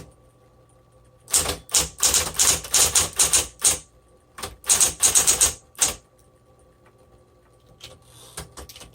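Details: Crisp, even keystroke clicks in two quick runs of about a dozen strokes each on a 1960s Smith Corona Coronet electric typewriter, after lockup at the ribbon's end was cleared by reversing ribbon direction; mechanism working properly.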